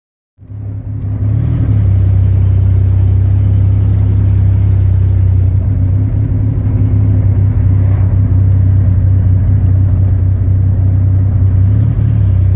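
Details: Chevy 4.3 V6 at idle: a deep rumble with an uneven pulse of about four beats a second that keeps dropping a beat; a steady engine misfire.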